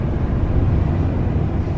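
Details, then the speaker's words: 2000 Ford F150 idling rough, check engine light on, cylinder 4 misfire code; low, lumpy idle with an uneven stumble as one cylinder drops out; coil pack suspected, fuel injector the other possible cause. "It's missing. Definitely seems to be missing."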